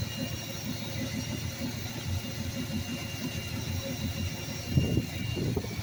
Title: 1982 Ford F150 300 Auto. There's a horrific vacuum leak around that quadrajet somewhere...